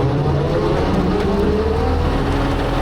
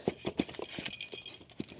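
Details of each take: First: Brush cutter (bat wing mower) gearbox after repair with an aftermarket part and fresh gear oil: steady heavy drone at even pitch with no grinding, whining or knocking from the drive; gearbox running smoothly. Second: Slow uneven metallic clunks and rattles as a removed bat wing brush cutter gearbox is hand-turned; broken gear teeth with loose metal chunks inside, gearbox a goner.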